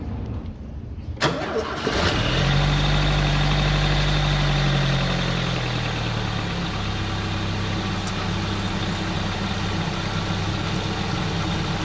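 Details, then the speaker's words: Chevrolet S10 just after first oil change (3.75 L engine plus 0.5 L filter), started to listen for bad noises: quick crank catches cleanly, brief rev, then even steady idle with no knocks or squeals. Normal noises, healthy engine. "Barulhos normais. Show de bola."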